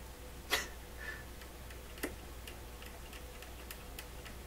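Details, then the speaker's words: PYE Columbia Stereo 360: sharp irregular clicks and crackles, two loud and several faint, over a quiet hum each time the circuit board is lightly flexed, with bias voltage jumping; a cold solder joint is suspected. "Okay, so just lightly. So see, every time the board moves, it makes that sound. It's got to be this blunt."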